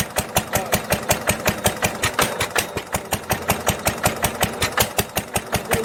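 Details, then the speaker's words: 1946 International LB 3-5 hp hopper-cooled engine off a hay press, running on its old muffler before a glasspack swap: sharp even exhaust barks about 160 a minute with a raspy crack on each firing; harsh, poorly damped exhaust note. "But it's this muffler right here is really, it's not a good sounding muffler."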